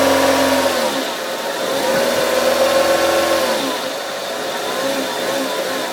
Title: Fiat Grande Punto 56 - Engine Noise Issue